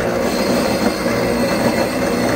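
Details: Lennox rooftop unit with no heat, board code 66 (combustion air proof/pressure switch open): harsh steady squealing whine with rough grinding underneath from the inducer motor, suggesting it is failing.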